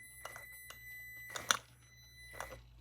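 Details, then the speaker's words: Traxxas TRX-4M Bronco RC crawler, first drive: a faint, steady high whine under clicks and bumps from driving. It is the ESC's low pulse-width-modulation frequency audible through the motor, and the motor feels short on torque. "you can also hear the ESC you can hear the pulse width modulations kind of low on it this is why you can hear it"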